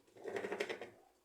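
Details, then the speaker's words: Sugar twin-tub washing machine (tanquinho) that hums but lacks power to wash: quick light rattling ticks, about ten a second, as the belt rides up and down over off-centre, misaligned pulleys. "tá isso um barulho que indica que a correta é um pouco de centrada desalinhada"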